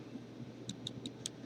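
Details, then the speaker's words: Uwell Crown sub-ohm vape tank, airflow control ring turned: five crisp, light clicks roughly every fifth of a second as it snaps through its detents; very clicky airflow adjustment, normal for this design. "my just my own opinion a very clicky airflow I"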